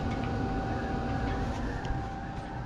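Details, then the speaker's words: Newly wired boat engine-compartment ventilation fan, first test after connecting: loud steady rush of air with a faint constant hum; runs strongly, just noisy. "puissant mais bruillant bon allez on coupe"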